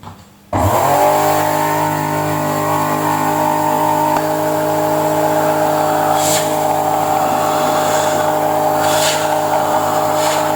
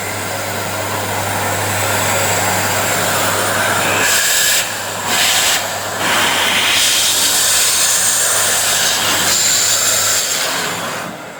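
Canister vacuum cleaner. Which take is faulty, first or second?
first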